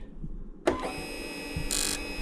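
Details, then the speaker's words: Generac XT8500EFI generator that would not crank, ignition switched on before the solenoid replacement; a sharp click, faint buzz and brief whirr as the electric choke gets power and engages normally. The no-crank fault was traced to the starter solenoid. "that's turning the choke on. You can see that there's power going to there."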